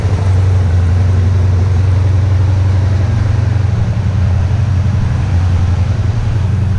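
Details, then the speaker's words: Freshly assembled Interceptor twin after bench-synced carbs, first start, idle set a little high: soft, even low thrum holding steady, no knocks or ticks, much quieter than the owner's Vance & Hines-equipped bike. Normal idle. "i also can't believe how quiet it is i had no idea these things were this quiet because the vance and heinz is not quiet"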